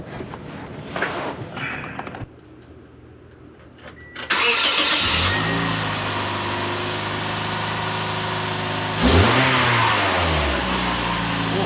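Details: 2008 Toyota Yaris after heat shield fixed with vice grip: engine catches and settles, quick rev climbs and drops cleanly, no tinny buzz; exhaust now quiet.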